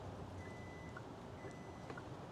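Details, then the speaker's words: Kia EV9 power liftgate closed from the dash button when the button was released early, so it stops. Two long, steady high beeps over quiet hum; the warning that the close was interrupted. "So this is a safety feature. In fact, you hear the long beep now because you think something is wrong."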